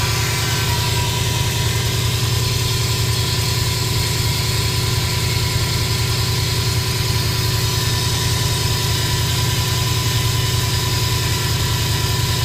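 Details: 2005 Subaru Impreza WRX turbo petrol engine at idle: constant high whine that doesn't waver; the owner also hears a turbo whistle while driving; cause unclear.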